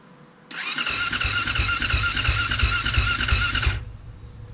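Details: 2007 KTM 450 SX-F with a start-up problem, choke on, fuel on, in neutral, battery low on charge: about three seconds of fast, even starter whir at roughly three beats a second, then it stops without firing; cranking without starting.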